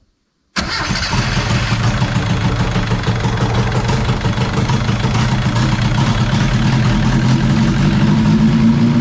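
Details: 1981 Chevy LUV pickup after rewiring, spark present but no fuel yet, fuel poured in to try a start: catches at once and settles into a steady, even idle with no misses, knocks or rattles; runs properly.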